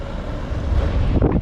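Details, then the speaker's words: 2014 Toyota Venza with the original blower motor reinstalled after the humming noise was traced to debris: steady soft rush of air at higher fan speed, no rattle, ticking or scraping; blower running normally. "and it is not making noise now turn this thing up some more that thing is blowing"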